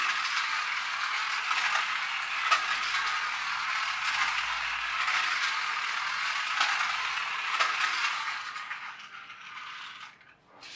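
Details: Magic Track toy car after a superglue repair: a steady high buzzing whir with light gear chatter and a few clicks, no slipping or stalling; it runs normally.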